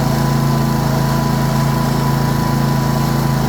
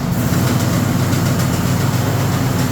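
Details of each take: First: Cub Cadet RZT 54 zero-turn after drive belt replacement, cured of its earlier slapping racket from the belt, not the engine. Steady, even low drone with no slapping or knocking: normal running. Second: Cub Cadet RZT 54 zero-turn mower running: loud engine drone with an uneven knocking racket underneath, not the engine; drive system suspected.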